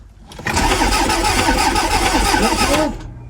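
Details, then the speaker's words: Toyota MR2 project: about two seconds of even starter cranking at three to four beats a second, never firing; fuel pump heard faintly only while cranking, no blown fuses; crank no-start, cause unconfirmed. "So, I can hear the fuel pump, but um it only seems to come on the fuel pump when you're actually turning the engine over. Uh so, as we predicted, it doesn't start."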